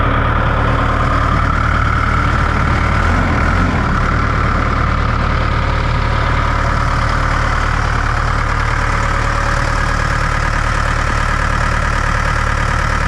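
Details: Large diesel on a 44,000 lb, 120 ft machine, fuel primed, throttle linkage disconnected and worked by hand while cranking: steady deep churning with an even roughly three-per-second pulse.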